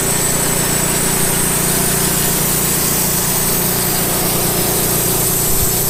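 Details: Late-1990s Wood-Mizer LT15 sawmill engine, long-stored, after maintenance, still running despite its age: steady even buzz at constant speed, no misses, knocks or surging: normal running engine.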